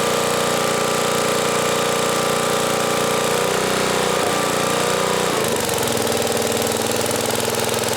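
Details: 1980 Homelite 5000 watt generator, cast iron Briggs single, under load from 220V three horsepower air compressor: engine dips and recovers as load comes on, then holds even beat without misfires; healthy.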